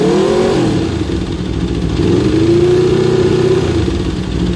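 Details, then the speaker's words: 2015 Aprilia RSV4 V4 with 4,600 miles, warmed up, idling: steady idle with light even mechanical clatter and faint tone over the exhaust; normal V4 valvetrain noise, nothing wrong. "sounds right to me that's just natural sound from the v4 and from the Aprilia that we have so I just want to share my Aprilia sound just to prove that there's nothing wrong that's how it's supposed to sound"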